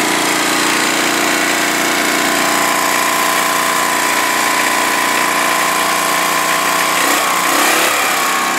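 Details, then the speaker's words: Snapper mower, engine warm, running at a steady even speed with no misses, knocks or surging after being fixed up; healthy, though it still needs choke to start when warm. "but yeah it runs good I'll crank it up it is warm right now but for some reason you still have to choke it to start it"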